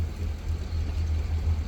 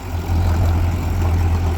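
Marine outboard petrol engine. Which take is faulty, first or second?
second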